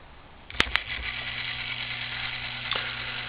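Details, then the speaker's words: New brand-new Merkle-Korff gearbox auger motor for pellet stove, sealed motor shaft: click at switch-on then low steady quiet hum with faint higher tone, quieter than older ones; normal running. "it is a little bit quieter than the older ones"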